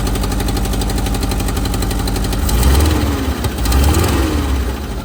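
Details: VW Type 4 flat-four engine at idle: loose, uneven knocking, roughly four raps a second, riding over the low drone; engine knock at idle.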